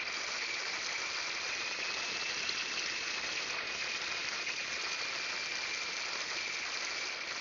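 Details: Freeze Miser anti-freeze valve on an outdoor spigot in November, open and flowing to warm the near-freezing riser; steady even rushing hiss of water, no gurgle or hammer; owner concerned it was slow to start closing.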